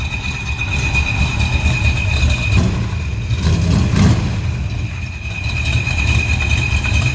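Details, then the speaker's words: 1979 Jeep CJ with built 304 V8, MSD ignition, glass packs, new clutch, cold idle: loud steady high-pitched howl that comes and goes from a brand-new but defective throwout bearing, to be replaced in spring. "sounds good except for that that loud howling noise"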